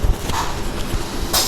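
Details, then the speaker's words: Honda Activa 6G scooter with a self-start problem: sharp starter relay ticks on the start press, with the brake switch tied, but no starter whir or cranking. The relay, ECU ground and switch are working. "Relay ഇവിടെ tick tick എന്ന് sound കേൾക്കുന്നതായിട്ട് കാണാൻ പറ്റും"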